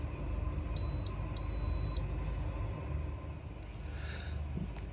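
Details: Caravan air conditioner control panel, run on 240 V mains power; two short high beeps over a low steady hum as plus/minus buttons are pressed, normal operation.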